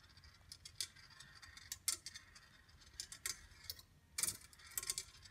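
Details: A Congreve clock after its pivots were oiled, the escapement adjusted and the base shimmed level runs with light, crisp, steady ticks and small metallic clicks as the ball rolls, with no dragging or rubbing. This is normal running.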